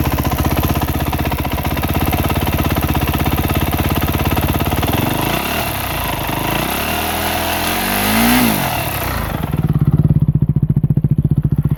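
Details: Honda CRF250R at idle and through a quick throttle blip: single pops with a light ticking noise riding over the engine.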